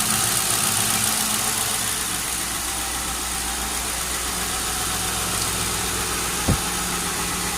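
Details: Lincoln Town Car started for the first time in nearly a year, on a lift, with a replacement alternator: a steady, even idle under some hiss with no knocks or misses; normal idle.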